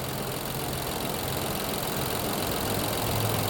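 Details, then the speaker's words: 2020 Infiniti QX60 with oil consumption, 95,882 miles, codes P0300/P0304: quiet, slightly lumpy idle at about four beats a second; pulling the cylinder 4 coil changes nothing, as cylinder 4 is dead, misfiring from a fouled plug. "So one thing we need to do, we need to verify that we actually have a misfire on cylinder 4."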